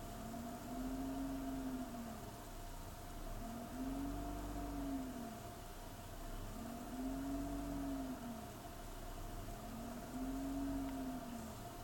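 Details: BMW E46 at idle: quiet idle whose note swells and sags about every three seconds, never settling; a rough, hunting idle.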